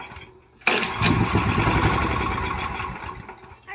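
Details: Honda GX340 11 hp ex-pressure-washer engine after long storage, carburetor and fuel tank cleaned, oil added, premium fuel and starting fluid: after a pull it fires abruptly and runs rough and uneven about three seconds before fading, barely catching.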